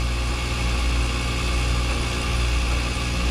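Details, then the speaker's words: Carrier mini split: harsh rough grinding churn like a garbage disposal over a low hum, high and suction pressures barely changing, scroll heard spinning; compressor internals failed, compressor to be replaced. "oh there we go high side is not really doing much our suction same thing sounds like garbage more like a garbage disposal"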